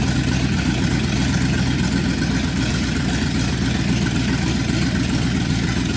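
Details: Junkyard 1969 Chevy C10 V8 with no exhaust, first start after a small leak was fixed: loud unmuffled rumble with a slightly uneven, lumpy idle; something still isn't quite right.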